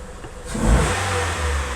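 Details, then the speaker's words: Honda CR-V (RD1) that wouldn't start or shut off while driving, fitted with the facelift-version main relay behind the glove box: the engine picks up cleanly on a quick throttle blip with no stumble or cut-out. Revving is normal. "Everything seems normal. Well, looks like it doesn't really matter what version of the relay you use."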